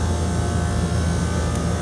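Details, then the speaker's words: Replacement condenser fan motor on a commercial package AC unit, checked after the indoor fan belt was replaced for a customer's squeaking complaint: steady, smooth low hum with no rattle, scrape or wobble, sounding much better than the old motor; amp draw about 2 and 2.4 A. "Now listen to the new motor. That sounds a lot better."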